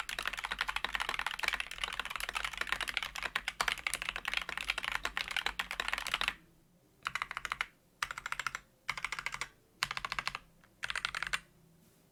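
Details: Lubed and filmed Wooting Flaretech switches: quick even typing bursts of soft muted clacks with no spring ping or stabilizer rattle, switches sound smooth.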